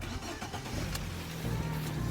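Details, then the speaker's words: Auction-bought car just after topping up low engine oil: engine catches quickly and settles to a soft, even idle, quieter as oil circulates, only injectors audible, no clatter or tapping; normal engine start. "one minute sounding a lot more quiet now that i've topped up with oil listen to that just can hear the injectors perfect"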